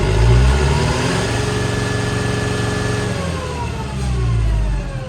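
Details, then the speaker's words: Late-1990s or 2000s lawn tractor that earlier would not rev and needs a solenoid; after the key is cycled off and on, it climbs cleanly through the revs and settles back. Owner suspects a computer issue. Normal revving. "Revs up fine. So I think it's a computer issue."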